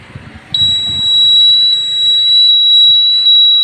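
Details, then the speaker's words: Newly installed indicator buzzer (L to black, B to red, white socket), tested with indicator on: steady high piercing tone with a short break about every three-quarters second in step with flasher; buzzer works normally. "Sound ഉണ്ട്."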